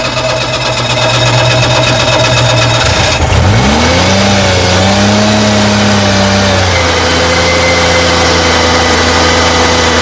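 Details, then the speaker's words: Old Cushman police vehicle, transmission fluid changed twice, in gear: steady mid-pitched whine from underneath that rises and sags with revs, fluid pulsing with it; transmission whine, pump suspected, not confirmed. "So the pump is really not happy. Pump's not happy down there."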